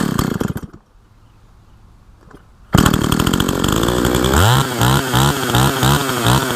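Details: Husqvarna 162 SE chainsaw revived after sitting for years, with a tampered muffler: after a short pull it fires, idles steadily and answers several quick throttle blips cleanly and evenly; normal, healthy running.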